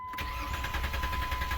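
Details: 2007 Jeep Liberty 3.7L, complaint of not running, during EGR valve voltage checks: even, steady starter cranking with a regular compression rhythm for two seconds; the engine never fires. Cause suspected, not confirmed.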